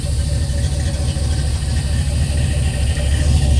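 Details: Pop's old truck started at the key: deep, steady idle with an even low rumble, no knocks or squeals; runs healthy.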